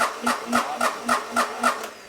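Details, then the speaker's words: Onan MEP-016B military 3 kW single-cylinder diesel generator, not running when bought, cranked directly at the starter solenoid: steady, even cranking about four compression strokes a second with no firing; cranks but doesn't start, fuel delivery from injection pump next to check. "well it cranks and doesn't sound terrible I can see the fan moving here"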